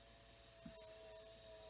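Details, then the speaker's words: Marshall MG100HDFX solid-state amp powered through jumper wires with the power switch bypassed: its heat-sink cooling fan gives a steady, rough, mid-pitched whirring drone, sounding noisy and worn, possibly failing. "there's no sparks flying except that fan is making a lot of noise check into that a little later yeah that's good so i gotta find me to switch should i let it run that fan sounds like crap"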